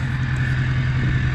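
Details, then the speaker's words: Diesel pickup back together after months parked, needs a starter from long cranking, oil leak still to fix (owner suspects something other than front main seal): smooth even idle, steady low rumble, no knocking or misfire, sounds healthy. "but we'll get a starter for it sounds sounds so good I'm hoping this uh stays together for a while be a lot nicer"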